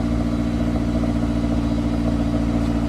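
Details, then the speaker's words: Honda S2000, about 55,000 miles, with UK exhaust mod, cold start idle: even deep burble with a slight wobbly sound and no knocks or rattles; normal cold idle. "It's got a little bit of a wobbly sound on cold start, but it's not loud."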